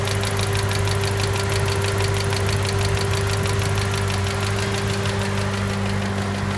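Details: 2010 Mustang GT 4.6L 3V, recorded under the hood at idle: loud, sharp ticking about three a second from the passenger-side bank, hot or cold, rising with revs; solved, a collapsed roller follower.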